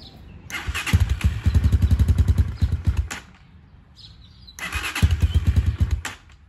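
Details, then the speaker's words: 2019 Hawk 250 motorcycle, 5,862 miles, 110 main jet, cold start kept at low rpm: catches and thumps unevenly, dies, fires again briefly, won't hold low idle. Cold start stalling; no oil smoke unless revved, rings possibly worn. "you guys can tell it's cold because it keeps shutting off not wanting to run"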